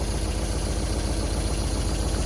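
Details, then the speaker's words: 1974 MGB parked 30 years, hot-wired, with new points, rotor and plugs and the carbs adjusted. Idles on its own, smoking, with steady low idle and soft even valve tapping on top. Normal idle with light valve clatter, probably normal. "I don't hear any highly alarming noises there's a little bit of clattering going on but that's probably normal"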